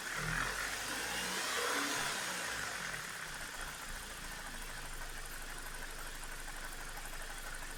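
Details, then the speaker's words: BMW E46 with N42/N46 engine, reduced power and higher fuel use, VANOS camshaft timing codes: fast, light metallic rattle and clicking after a rev; timing chain jumped, chain rail guide broken. "as you could hopefully hear there is definitely some weird noises coming from the engine it does sound like there's an issue with the chain or maybe the vanos control units"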